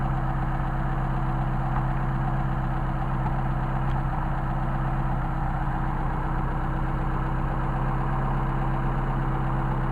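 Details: 190SL with Solex carbs, warmed up, tachometer connected: smooth, even idle near 965 rpm, low and steady with no misses or knocks. A healthy running set of carbs.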